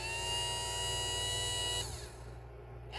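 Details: 1971 Cadillac Eldorado power window motor bench-tested after rebuild: steady high motor whine with even gear hum, a pause, then it spins up again in reverse; runs smoothly, normal operation.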